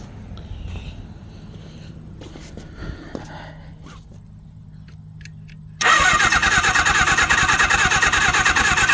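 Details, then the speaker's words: Suzuki GS750 that last ran in 1983, previously seized: starter spins the engine steadily at about three turns a second with no firing, tried at wide-open and low throttle; cranks but won't start, no spark at the plugs, battery power present. "okay no spot okay I'm getting absolutely no spark"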